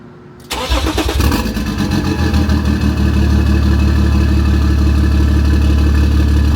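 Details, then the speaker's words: BMW X5 off-road build, exhaust now downpipe to a gutted secondary cat with band clamp; starts and settles into a lumpy idle with an uneven stumble about three beats a second; misfire suspected to be an injector, possibly DME-related, not confirmed. "So I don't know if you can hear that, but obviously this car has a misfire."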